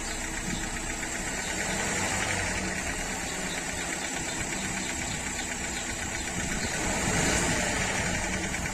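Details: Renault 1.3 TCe engine when accelerating: rough, rattly note with a faint rhythmic knock under a steady drone; abnormal engine noise, cause unclear.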